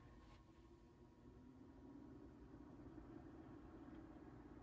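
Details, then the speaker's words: 1980s Sanyo 9-inch oscillating fan (120 V, 2-speed shaded-pole C-frame motor), gummy and not yet oiled, before restoration, on speed one (low): quiet, steady low hum with no rattle or grinding; bearings sound healthy. "yes this does appear to be low speed"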